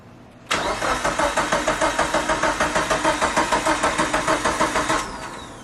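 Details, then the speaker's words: Mitsubishi Evo 8 first start attempt after 8 years: starter cranks steadily about three turns a second for four seconds, no firing; fuel rail dry, 255 in-tank fuel pump delivering no fuel, crank-no-start. "so i took out the allen screw out from the fuel rail and it's so dry i don't know what's going on"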